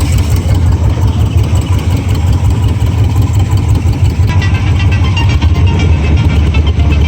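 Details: 1978 Cobra Jet jet boat, 350 Ingram V8 (325 hp) with Berkeley jet, just started after timing work, choke off: deep steady even rumble with no knocks or misses; normal idle.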